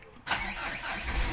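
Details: Diesel generator with hard morning starting after two glow plugs failed, now fitted with used replacement glow plugs: quick crank, catches straight away and settles into steady idle; one-click start restored.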